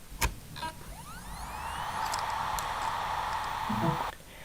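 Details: Healthy hard drive spin-up: a click, then a smooth whine rising in pitch and settling into a steady hum, shown as reference against a failing laptop drive with suspected stuck heads.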